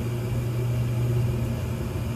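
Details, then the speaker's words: Furnace test run after a tune-up (blower squirrel cage and inducer motor area vacuumed): a steady, even low hum with soft rushing air and no knocks or rattles. The burners fire normally before the blower starts, burning off a little dust while the flame turns blue. Normal burner operation. "okay now let's give her a test run so you can see this baby do what she's supposed to do"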